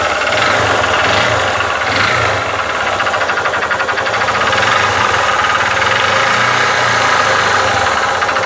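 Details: Honda Titan 150 motorcycle engine running with a steady, rapid metallic knock low in the engine on each turn, diagnosed as a worn connecting rod (biela) rather than a pushrod.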